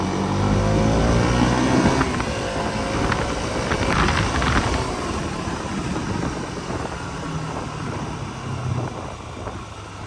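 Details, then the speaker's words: KTM Duke 200 running steadily in first gear after a chain and sprocket kit replacement: a smooth engine hum, and the earlier tuk-tuk chain noise is gone. "సౌండ్‌కి సంబంధించిన సమస్య అంతా కేవలం chain సమస్య వల్లే వచ్చింది. కాబట్టి ఇప్పుడు, అసలు శబ్దమే లేదు; అంతా పరిష్కారమైంది."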